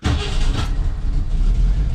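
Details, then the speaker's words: 1968 Ford Mustang V8 restarted after first run in about 20 years parked, running off proper ignition: fires straight away and settles into a steady deep rumble with no misses or knocks; normal start and idle. "will she do a restart well she she will she'll do a restart watch"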